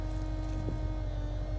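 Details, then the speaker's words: Range Rover being buried: steady mid-pitched whine over a low even engine hum; noisy fuel pump believed on its last legs. "is on its last legs chances of that working in a year when we dig it up probably not"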